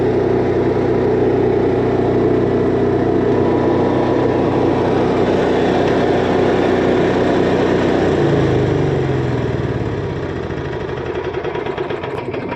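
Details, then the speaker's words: 2024 Jayco Melbourne Prestige 24LP motorhome generator just started from the interior control panel; steady even drone with no knocks or misses, settling to a quieter smooth hum, running normally. "Let's go ahead and hit start here. Just that quickly you hear it purring."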